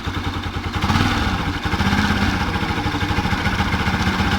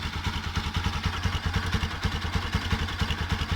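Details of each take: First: Bajaj Pulsar NS 200 motorcycle engine idling and lightly revved: rough rapid clatter that appeared suddenly, later diagnosed by mechanic as a failed stator. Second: Bajaj Pulsar NS200 motorcycle idling after the stator, which caused the engine noise, was fixed: steady, even low thump with no knocking or grinding.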